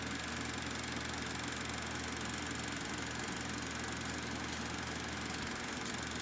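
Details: Kodak Pageant AV-126-TR 16mm sound movie projector running normally: an even, steady whir from the lamp-cooling fan motor over fast mechanical chatter from the projector mechanism.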